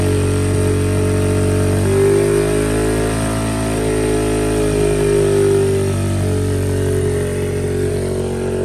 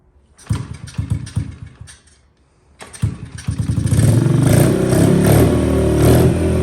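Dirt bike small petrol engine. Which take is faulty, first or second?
first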